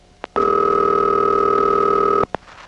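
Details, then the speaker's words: Panel telephone switching office, 1977, intraoffice call: steady even buzzing tone for about two seconds between faint clicks as the sender drops out and the final switch rings the called line; normal ringback tone. "the switching train which goes all the way to the final switch and what that sounds like is and by now the final switch has begun ringing"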